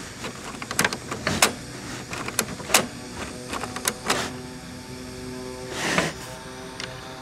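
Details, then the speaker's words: Retro portable TV/radio cassette deck: motor whirs with scattered clicks and clunks but no tape playback; the rubber drive belt has snapped. "I miss cassettes I miss all this hiss I miss the Wow and flutter listen to this and that's what the damn thing not even playing"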